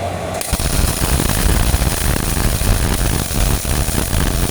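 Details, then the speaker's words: Old Miller-Matic 251 MIG welder at 21 volts and 366, welding pipe fittings: a steady, even frying crackle without pops or sputter gaps, a properly set weld running smoothly; normal MIG welding arc. "21 volts, 366 on the old Miller-Matic 251. Happy burning, fellas."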